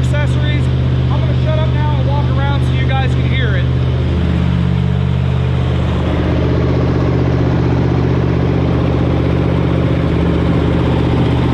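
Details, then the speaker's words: 1977 Cadillac Sedan DeVille 7.0L V8, 98,569 miles, idling in neutral: deep loud steady rumble with open unmuffled note because the catalytic converter was stolen. "unfortunately yet again she was a victim of catalytic converter step so it's kind of loud"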